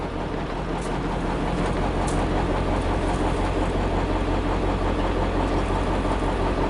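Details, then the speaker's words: 1956 Studebaker Golden Hawk V8, manual clutch, first start after sitting with fuel added; deep steady idle, slightly lumpy but on all cylinders, no knocks; owner expects it needs more running, plans compression tests: normal idle. "She runs. That's about it."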